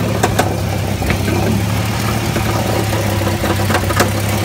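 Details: Jeep XJ 4.0 at steady idle with a light metallic rattle riding over the engine note, constant throughout; source of the engine rattle unknown, flex plate checked tight and seemingly not cracked.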